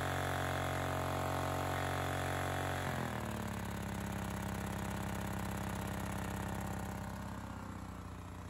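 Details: Honda EX1000 single-cylinder suitcase generator load test: pitch drops as load comes on around three seconds, then settles into an even, steady beat; earlier hard starting, owner suspected fuel issue. Normal running under load.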